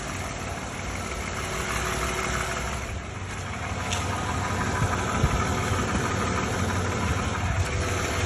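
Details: Used 2013 Lexus RX350 base model, US spec, V6 idling with light uneven rattle about three beats per second over steady hum, also heard in cabin; front right engine mount recently replaced; source unidentified.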